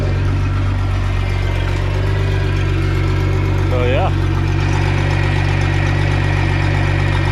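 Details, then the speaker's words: 1992 Bayliner boat engine on a water hose, oil pressure almost 70 psi, pushes more water once warmed up: steady even low rumble at constant pitch, no knocks or misses; normal running. "runs good. It acts good. Once it gets warmed up, it definitely blows a lot pushes more water out than when it's not."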